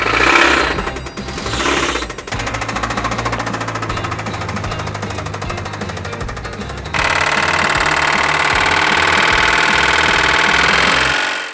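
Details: 1985 Toyota pickup 22RE with a known nasty rod knock, started after a maple syrup oil change: a hard metallic knock taps in a steady, repeating beat that does not fade as it runs, pointing to a worn connecting rod bearing.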